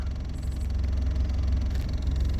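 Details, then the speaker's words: 2001 Ford Escort ZX2 after an oil change, 30 miles later, idling with parking brake on: deep, even low rumble, steady rhythm, nothing irregular; engine staying cool, healthy, though owner suspects a faulty temperature sender. "No problems so far. Engine's staying cool."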